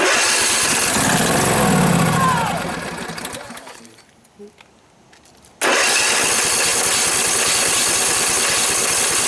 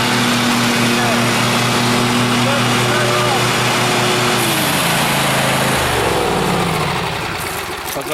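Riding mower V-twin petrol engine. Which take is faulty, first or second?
first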